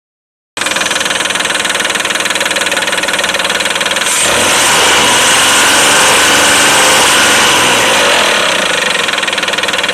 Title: Стук двигателя